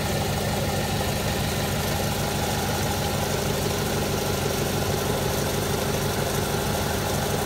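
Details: Idle of a 1995 Acura Integra after patching a cracked exhaust header with exhaust repair wrap: steady, even low rumble with no ticking or puffing, normal idle.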